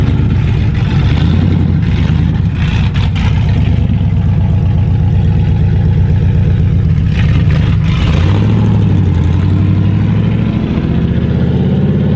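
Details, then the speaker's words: Nissan R32 Skyline, newly running with no exhaust fitted. A loud, raw open-pipe roar climbs cleanly with throttle and settles back evenly, with no knocks or misses. Healthy engine revving. "this thing's crowded it sounds sick it probably sounds like with no exhaust it could sound way better yeah it just runs phenomenal"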